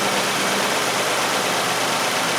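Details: Nissan Sentra with P0400 EGR code, idling during EGR testing: steady, even idle with constant hiss, no misses, stumbles or surging; idling smoothly.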